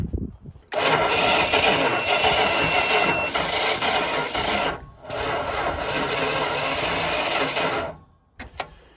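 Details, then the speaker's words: 1974 Dodge Monaco police car, 440 V8 sat for years: two long stretches of labored, uneven cranking with no catch; owner believes the starter is failing. "yeah pretty sure the start is leaving us"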